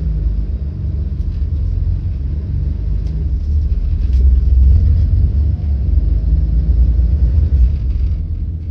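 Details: Volvo 8700 bus, ZF Ecomat automatic won't engage neutral while idling: deep, labored rumble as the engine drags down nearly stalling.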